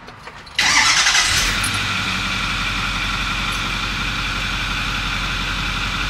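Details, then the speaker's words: 2008 Ford F350 6.4L diesel with P0206 cylinder 6 injector circuit code and power loss when towing: engine catches after brief crank and settles into even diesel clatter with no stumble; normal idle, no current misfire at idle. "now the thing idle's really nice so it's not currently a misfire"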